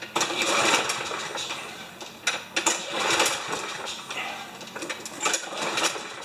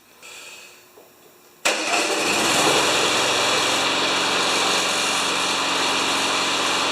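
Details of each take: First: Yard Works mower, MTD Briggs engine with wind-up spring auto-start, primed with starting fluid: repeated pull-cord cranking bursts with clattering turnover, never catching; cranks but won't fire even when primed. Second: Yard Works (MTD) mower with Briggs engine and wind-up spring auto start: engine fires instantly off the spring start and runs steady, then brief screech at shutdown as the spring rewinds for next start; normal.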